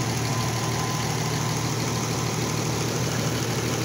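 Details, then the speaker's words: Oliver 880 tractor unrun about 23 years, choke almost fully out, little blow-by, some smoke, rings suspected sticky: idle with raspy puffing chuff over the beat; hole in exhaust manifold, owner plans replacement. "there's definitely a hole in the manifold there get a little bit of smoke of course the choke's most way out rings are probably sticky"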